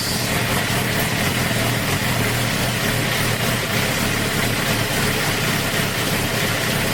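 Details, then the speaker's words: 2008 Suzuki GSX-R 750 K8 after fixing an idle problem, warmed to about 120 degrees: hands-off idle steady at about 1000 rpm with no hunting or surging; normal idle. "okay there it is hands off so like i said it likes about 120 but as you can see it's i don't want to write about a thousand see that right about a thousand"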